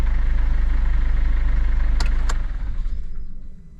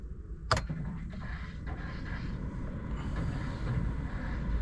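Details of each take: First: Mercedes Vito W639 2013, OM651 2.2 diesel, idle on second start after timing chain tensioner replacement: even idle, about three and a half pulses a second, no chain rattle, winds down smoothly; normal. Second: Mercedes Vito W639 2013, OM651 2.2 diesel, first start just after timing chain tensioner replacement: loud metallic rattle for a few seconds on startup, settling into steady idle; slack timing chain until the tensioner pumps up.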